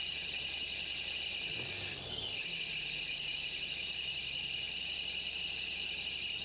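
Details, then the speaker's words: 2006 Nissan Maxima at idle with a loud steady shrill squeal that never lets up; voltage drops from 12.2 to 11.9 V, owner almost certain the belt is slipping on the alternator, which isn't charging; months-long intermittent problem. "Ladies and gentlemen, I am almost 100% certain we have an alternator problem. Look at that, we're dropping down 11.9 volts, which means that belt is slipping on that alternator so badly that it's just not producing voltage."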